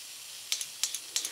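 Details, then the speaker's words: Toyota 22RE fuel injector being tested and cleaned with Seafoam before rebuild: three sharp hissing squirts about a third of a second apart, like milking a cow, with a clean spray pattern; normal injector spray. "oh yeah like milking a cow looks pretty clean"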